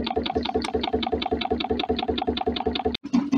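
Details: DIY Stirling engine generator Mk4, rocket-stove fired, after stopping a part knocking against the swing arm: even, steady chuffing beat about two and a half per second with no knock between strokes; running smoothly.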